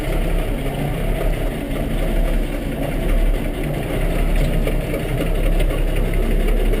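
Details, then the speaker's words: Diesel tractor (IH 1086 or Kubota M7) on a cold start with a booster, running regular diesel: heavy rough clatter at cold idle with uneven knocking, banging, clicking and squeaking. The tach quit working; the knock source is unclear. "and banging, my tack quit working. You can hear it clicking, squeaking. Not too bad for this thing."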